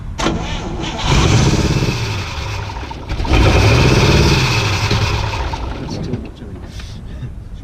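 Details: Oldsmobile Rocket 88 V8, sat unstarted over 20 years, fuel poured into carburetor: low labouring cranking surging and sagging, trying to catch but never settling; engine flooded with fuel.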